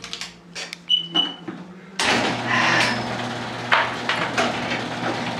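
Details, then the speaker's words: Garage door opening via a converted car alarm relay setup, tested with the door's manual lock unlocked; a few clicks, then a steady motor drone with door panels rattling up evenly, working normally. "so we'll hit this button first and obviously it'll go up we'll wait for that to go up"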